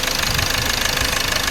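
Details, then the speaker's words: 2016 Hyundai Verna Fluidic petrol engine idling with fast metallic chatter from a very loose timing chain, confirmed when the timing cover was opened. "यह है आपकी ना फलो जिसम देखिए timing का sound आ रहा"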